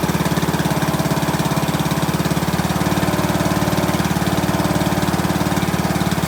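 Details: 2003 Craftsman LT2000, 18.5 hp Briggs & Stratton Intech, first start with fresh gas and plug: an even thump at about 3.5 beats a second, steady speed, no misfires or hunting; runs well, needs an air filter and oil change.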